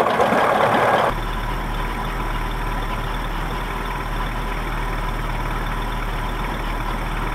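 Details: 1979 Johnson 55 two-cylinder two-stroke outboard idling with an uneven, stumbling beat of about three pops a second, firing irregularly: rough idle.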